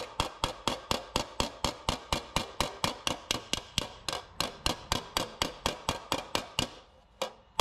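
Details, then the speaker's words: Hammer on dolly shrinking a high spot on an aluminium AC Cobra body panel, spiralling toward the centre: crisp, bright metallic tings about two a second, fairly even, fading out; the ting signals that spot is done. "it works the same for bigger high spots as it does smaller high spots you just want to move your way around and when you hear the Ting that's how you know it's time to move on to the next spot"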